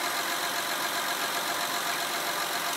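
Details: Honda Pilot 3.5 i-VTEC running with a nearly dead battery, 14 V at the terminals: an even, steady idle with no knocks, misses or surging; the alternator is good and the battery is weak.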